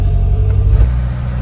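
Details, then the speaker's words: Classic Renault 5 (182 conversion project), just jump-started after pumping throttle and adding choke; busy, fast idle held well above normal, steady and even; engine idling too high, cause not confirmed. "Right, so right now it's revving quite high, and that is because"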